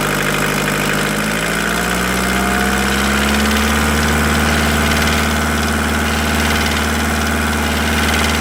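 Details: VW T4 1.9 diesel rising off idle: a steady metallic tapping climbs with revs. The ticking appeared after an oil change and is noted at 2000 rpm; lifters were suspected. Teardown found a knocking piston pin; the engine needs an overhaul.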